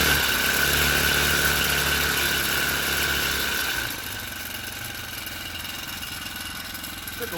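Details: Four-stroke motorized bicycle running on a stand with a new frame-mounted floating spring tensioner idler pulley: small single thumps at about four beats a second with little chain slap. Chain drive running reasonably smoothly.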